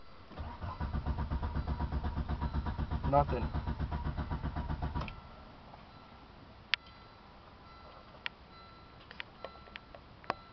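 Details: Volvo 850 T5 with a supposed 850R ECU swapped in: starter cranks steadily about four beats a second for five seconds, engine never catches; cranks but won't start.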